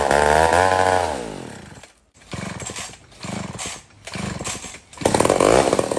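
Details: Old McCulloch 1-71 chainsaw after a major carb upgrade: carb rebuilt with jets from another carburetor, leaking gas line zip-tied, intake leak fixed with a double gasket. Strong, even two-stroke buzz climbing and falling cleanly with throttle through several revs. Normal running.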